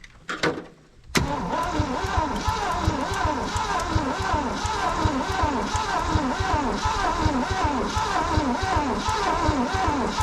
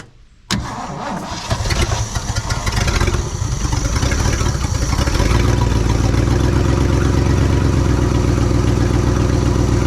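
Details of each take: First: 1967 Ford truck V8 sitting over 20 years, plugs back in, first cranking attempt: steady cranking without starting, slightly lumpy rhythm as a couple of cylinders are down on compression, with snapping noises of plugs firing. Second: 1967 Ford truck V8, first start after sitting over 20 years, after a pushrod was straightened and the valve covers resealed: it cranks a few seconds, catches and settles into a steady, even low idle, with oil pressure and a little blue smoke.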